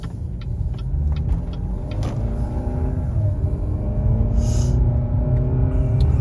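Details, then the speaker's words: Cadillac ATS on a test drive after a ball joint replacement: a steady low droning hum under road noise, rising and falling with speed, from badly cupped, unevenly worn tires, worst on the passenger side, with some tire shimmy still felt. "And so you could still feel a little bit of that tire shimmy coming through. And you could hear it as well. It had that tire drone noise."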